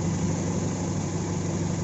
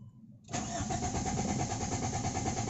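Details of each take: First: Toyota AE92 with AEFE engine, after a hard-starting problem was fixed: steady low idle with an even, unbroken hum and no misses, knocks or stumbles; runs smoothly. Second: AEFE 92 ENG. HARD STARTING ENGINE ISSUE DONE.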